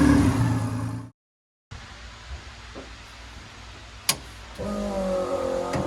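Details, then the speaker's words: Corolla drift car just after engine reinstall, running before heat cycles: revs rise and fall cleanly then hold a steady, even note with no knocks or misses; sounds healthy. "Everything looks and sounds very good, so I'm going to do a few heat cycles on it."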